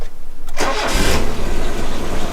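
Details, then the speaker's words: 1985 Mazda 929 HB coupe, first start after sitting 10+ years: starter whirs, engine catches and settles into an uneven, lumpy idle. Runs rough, needs a service, possible leaks; cause not identified. "Now I'm not going to run it for long in case there's any leaks, but for a car that's sitting 10 plus years, boys, she's a bit rough, she needs a service, but check that shit out."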